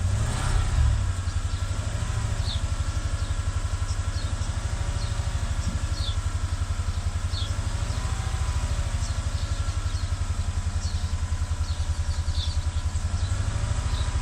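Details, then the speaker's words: 2015 Chevrolet Tahoe V8 with cylinder 6 misfire found by scan and manual check; deep exhaust beat with uneven, lumpy pulse; fault mechanical, not electrical, with oil found on cylinder 6 spark plug, possible internal leak suspected. "2015 فيه مسفاير، وللأسف العطل المسفاير اللي فيه ليس كهربائي ولا إلكتروني بل ميكانيكي."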